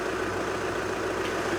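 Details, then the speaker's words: 2014 VW Transporter T5.1 diesel at idle after fitting a new part replacing a squeaking one near the belt (belt possibly also involved): steady even low rumble, no squeal or chirp; sounds much better after repair. "Well, that sounds a lot better."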